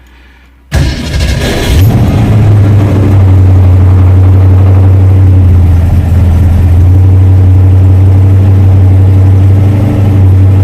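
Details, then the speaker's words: 1966 Ford Mustang V8, rebuilt about 6,000 miles ago, during a track-day service: a brief crank, then a steady, slightly fast cold idle with a deep even burble as the auto choke takes over; oil pressure is good even at idle. "the oil pressure is very good even at idle you can probably hear the auto choke is taking over a little bit she's idling"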